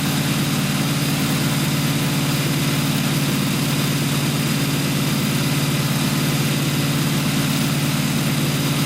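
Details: Newly built blown 355 Chevy V8, Weiand 6-71 blower, two Holley 600 carbs, solid roller cam, earlier lean-running carb problems, target idle about 1,200 rpm at 12.8:1 AFR; deep steady lopey idle, consistent beat, no knocks or misses, slightly rich.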